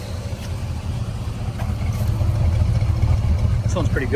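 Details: 1972 Chevy C10 402 big-block V8, unrun nearly 30 years after 1997 flood, with rebuilt carburetor: deep, even rumble settling into a steady run, building slightly with throttle; normal running.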